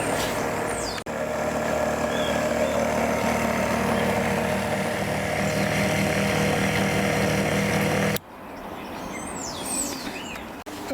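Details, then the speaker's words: Repaired leg actuator motor that previously stopped halfway and locked up humming under load: steady even hum about seven seconds, no stalling or labouring, clean cutoff; moving smoothly and working normally. "as you can see it's smooth it's moving and it's doing everything it needs to do"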